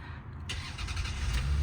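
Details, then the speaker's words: 1999 Lexus ES300 V6 first start after reassembly, following diagnosis of burnt valve(s) on cylinder 6, fuel system primed: brief crank, then catches cleanly with a smooth, even low rumble and no knocking; idling a little high. "Oh, baby. Idling a little on the high side, but it's going to do that for now. Wow, that sounds fantastic."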